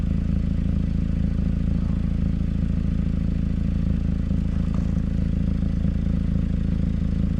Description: The exhaust recently started leaking on our 2011 Mazda 3. This leak was well hidden and tough to find.